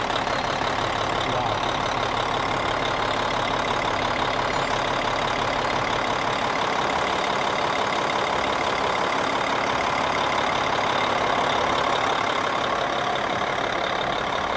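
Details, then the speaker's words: Kenworth T800 semi parked for 7 years, first start: an even, steady diesel clatter at idle with no misses or surging and no white smoke from the stack. Runs smoothly. "Was there any white smoke come out of there? None? It just started."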